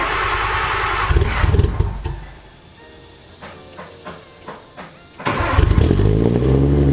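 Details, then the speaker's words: Nissan 240SX with RB25 swap, cold start on a hot day; cold start valve, IACV and auxiliary air valve all deleted. Cranks and catches, then sags to a lumpy, sputtering idle until a throttle blip. Owner suspects the tune or the deleted valves. "I'm not sure if that's the tune or because I don't have a cold start valve or IACV or the auxiliary air valve. All that's deleted off the engine. It's just basics to get it to run."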